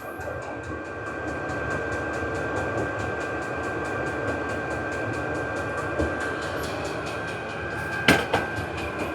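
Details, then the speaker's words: Vevor 8 kW 12 V diesel parking heater on maximum setting: steady fan rush with regular fuel-pump ticking about four per second, even and unbroken, temperature rising quickly; normal operation at full output. "that's the exhaust muffler going to speed it up a little bit do the maximum [Music] and the temperature will raise quickly now"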